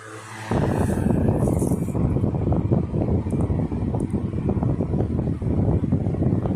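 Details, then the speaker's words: 1960s 16-inch Toastmaster box fan, first start in nearly two years after storage, switched up to medium; steady even rush of air with low hum, no rattle or ticking, well balanced with no vibration: normal running. "Very well balanced too, by the way. It's running very smoothly. No vibration at all."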